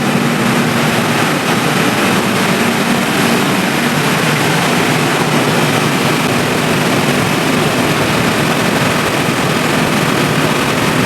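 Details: Three-phase generator auto-started by its auto panel after mains supply was switched off, supplying output through the relay: steady, even diesel drone with constant low hum, no knocks or surging; generator running healthy in auto mode.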